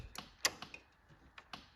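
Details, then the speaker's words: John Deere 445 crank-no-start: sharp, irregular relay clicks with no fuel pump hum; the problem was the fuse holder, probably corroded, and the pump ran after it was dealt with. "I still don't hear the fuel pump. It's like all the relays are clicking. No fuel pump."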